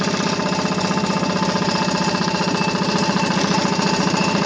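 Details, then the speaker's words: 1940 Sears Waterwitch 3/4 hp deluxe air-cooled outboard, Model 571.34, cast iron cylinder, carburetor without throttle butterfly, primer knob probably added later: fast rough popping run with tinny clanging clatter from its rare recoil starter, whose spring disc stays still when pulled; normal running. "noise that you may hear which is a clanging noise is a recoil which is kind of crazy how it works under here you have the rope plate and here on this disc is the spring which does not move when you pull it over"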